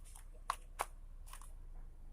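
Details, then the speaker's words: Single-door fridge compressor at power-on: a low steady hum, then two sharp clicks as it fails to start and the overload protector trips; overload and PTC relay are to be checked next. "Ternyata hanya mendengung, tidak bekerja dan terdengar bunyi cetek. Nah, itu pertanda kompresor protek."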